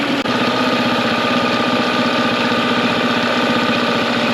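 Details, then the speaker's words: Mercury 9.9 hp two-stroke short-shaft outboard, believed early 90s, after years sitting; carb and plugs upgraded. It idles with a steady, even buzz but seems a little fast, and the owner may adjust it down; otherwise normal idle. "but right now the motor does sound pretty good i'm out here again air pops and it sounds pretty uh pretty good but it does seem a little fast so i might adjust it just uh slowed down a little bit"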